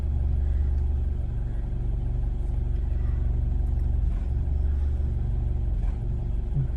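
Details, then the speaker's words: Car with an engine misfire at idle, throttle untouched: low rumble with an uneven, lumpy beat and occasional stumbles; the stumble coincides with fuel-pressure spikes on the scan tool graph. "It's, uh, okay. That to me was completely consistent with the misfire."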